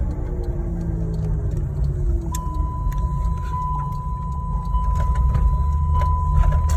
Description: 2007 Saturn Vue 3.5L FWD speed related humming sound. Sound starts as soon as vehicle begins to move but is loud enough to easily hear beginning about 20mph and progressively gets louder with increased speed.